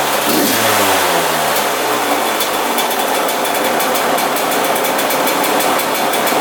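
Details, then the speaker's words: 2001 Yamaha YZ125 two-stroke after carb float/seat and intake air leak fix: revs and falls straight back to steady idle without hanging; idle return normal. "see how the idle comes back down instantly now that's perfect"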